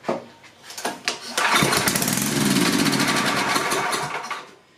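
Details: Coleman Powermate 6250 generator, 10 hp Tecumseh engine, first start attempt on a small sniff of starting fluid in the air intake; a few pull-cord strokes, engine catches, runs rough a couple of seconds, then dies.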